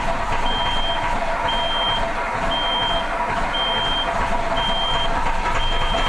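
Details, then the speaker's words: Autosan H9 bus diesel after a long forced standstill: steady cranking drone with a warning beep about once a second, never catching; fuel drained back out of the lines, and it would not start even with the hand fuel pump. "no nie udało się odpalić tylko i wyłącznie wspomagając się ręczną pompą paliwa"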